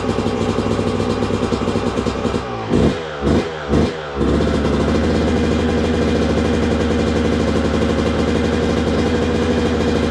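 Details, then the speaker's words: 2002 Yamaha YZ125 two-stroke that sat a long time, running with choke on: crisp idle, three clean quick blips and back to steady idle, no knock or rattle; crank sounds good. "Yep. She runs good. Let's go. Well, there you go, guys. Running really good too. And I knew it would. Crank sounds good. There's no knocking or clattering,"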